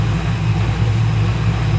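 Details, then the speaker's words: LS1 V8 after a Brian Tooley camshaft swap, first start-up: a steady, deep, even idle with no knocks or misses, sitting slightly high and needing adjustment. Oil pressure is about 60 psi at idle and fuel pressure 63–64 psi. "that sounds really good of course I'm getting a phone call from a freaking spammer idle's a little high I might have to go back there and adjust"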